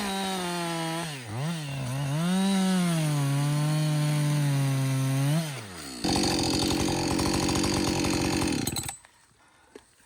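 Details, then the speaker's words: Husqvarna 562XP 60cc chainsaw, after repair of a no-run fault, about two-thirds of a tank in, bucking dead windfall: revs up cleanly, holds a strong steady high note through the cut, then drops off; normal running under load. "so far it's running great um I've got I'd say about I don't know two-thirds of a tank gone but listen this is real world practical use right 60cc saw bucking up some windfall some dead windfall"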